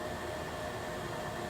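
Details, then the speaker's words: Joyzis 300 W portable power station, cooling fan first kicking in after running about half an hour under light load; quiet steady airy whoosh, faint even tone, no rattle or grind, normal cooling fan operation. "it finally had a fan come on. It's not real loud."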